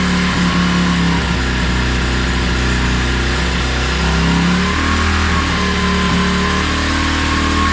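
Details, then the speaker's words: 2016 Tao Tao 110cc pit bike, first start after a top-end rebuild with new piston rings and reset timing: it starts on one kick and revs steadily with blips, even firing and no tapping or misfires. The engine is cold and warming up. "Wow. One kick Betty. So much better."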